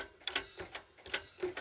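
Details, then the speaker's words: Honda Accord engine turned slowly by hand, camshaft exposed: light metallic clicks, a few per second, traced to the number-three intake cam lobe; owner suspects a detached valve seat ring; valve train tapping. "Se tulee tuosta kolmosen imunokasta tuosta päänokasta ja tota toi apunokka ei pidä ääntä."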